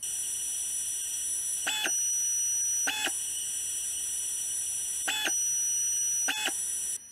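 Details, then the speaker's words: IBM PS/2 hard drive stepper motor run by a small controller board, idling: a steady high-pitched whine with occasional clicks, produced whenever the board's current limiter is limiting. Stepper motor whine from driver current limiting. "so what I found is that whenever the limiter on this little controller board is actually limiting it causes the motor here to make these noise"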